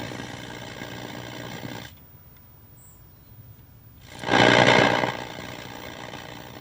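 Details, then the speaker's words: Vintage RCA CTC16 round-tube color television under repair in humid, foggy weather, with the shunt regulator disconnected and screens turned down: a sizzling crackle flares into a loud hissing burst of high-voltage arcing. Carbon tracking recurs daily. "sounds like something sounds like something carbon tracking again"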